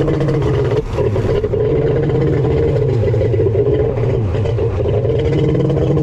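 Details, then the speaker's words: Kawasaki 1100 triple jet ski engine with bored cylinders and a Zeeltronic CDI, just reassembled: the two-stroke holds a flat, steady drone and bogs instead of revving out; the CDI ignition timing is set wrong. "all right folks it won't rev ah I knew it sounded weird on the bench"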